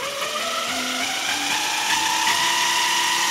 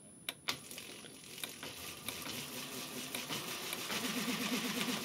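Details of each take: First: JET BD-11CNC lathe converted to CNC with 1.5 kW servo: HTD 8M 40 mm toothed spindle belt on temporary 3D-printed plastic pulleys whines loudly, rising in pitch from about 1,000 rpm toward 2,000+; owner suspects a low-quality AliExpress belt. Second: JET BD-11 lathe CNC conversion, 1.5 kW servo driving the spindle through an HTD8M 40 mm toothed belt on temporary 3D-printed pulleys, belt siliconed: quiet, soft running with light clicks and no whine below 400 rpm; whine begins above 600–800.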